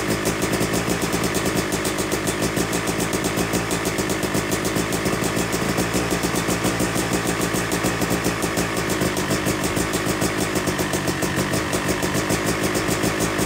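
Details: Yamaha YZ250 two-stroke (250cc/270cc) freshly rebuilt engine, second start after cooling, warming to about 100–125 degrees during break-in: crisp even popping at steady fast idle, no misses or rattles; normal warm-up idle.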